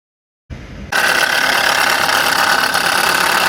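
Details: Subaru Impreza G4 engine at idle after start, fast fairly regular tapping about four per second over the idle; abnormal engine noise, cause unclear, under repair.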